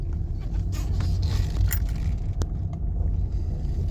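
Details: Nissan Qashqai from inside the moving car over bumps, after the anti-roll bars were replaced: a steady low road rumble with no clunks or knocks, where before every bump gave a clunk.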